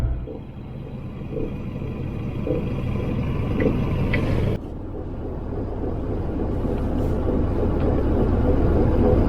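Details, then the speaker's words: 1988 Volvo 244 coasting to a stop at a few mph: low road rumble with a clunk once per wheel rotation from a loose front wheel bearing with slight play. "really hear it when you're sort of coasting up to a stop, a few miles an hour, and you can really hear that cluck clunk, cluck clunk, cluck clunk with each rotation."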